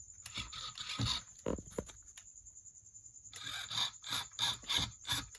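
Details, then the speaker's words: 2016 Rovan 5B 1/5-scale 29cc gas buggy under restoration, receiver powered directly with the switch bypassed: short uneven bursts of high-pitched servo buzz as the steering moves roughly. Owner suspects the servo horn is wrongly aligned. "Okay, it's a bit rough, but it's working."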